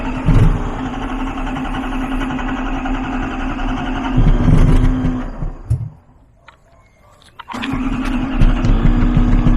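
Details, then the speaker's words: 1993 Lexus LS400, original 1UZ V8, first start: lumpy, uneven idle with irregular loping beat fading and recovering; running on only four cylinders, half the ignition system working. "well boys there you have it it started up on four cylinders so half of the ignition system is working"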